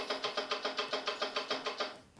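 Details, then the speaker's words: 1932 sedan rear hub just fitted with new seals, drum on, nut not yet fully tight, turned by hand: about eight sharp knocks per second; suspected play in hub, owner plans to adjust out. "So there we are. Drums on. Hear that clunk?"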